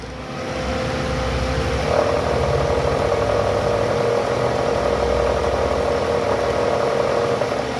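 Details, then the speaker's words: Toyota Alphard ANH10 engine idling with a snoring growl blamed on a weak belt tensioner: constant low rough growl with faint whirring; the tensioner bearing spins rough by hand, a worn tensioner bearing. "Coba bang, diputar bang. Oh, kasar. Kasar bearingnya ya."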